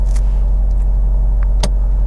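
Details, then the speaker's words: Manual car on a driving lesson, revs set around 1.5–2 (thousand) before a manoeuvre: steady low hum with a little buzz, no stumble, and the note changes slightly as the clutch comes up to the biting point; normal engine note. "If the engine's got a nice hum, a little bit of buzz behind it, then you're perfect. Then clutch up to the biting point. You can feel the car dip and the engine noise changes slightly."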